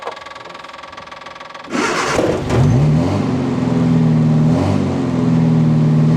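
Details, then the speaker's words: Westfield XI stored for years, started after starter fluid. Brief slow cranking under two seconds, then it fires and revs with a steady, even beat; good oil pressure, but the ignition light stays on and the alternator is uncertain. "Started right up."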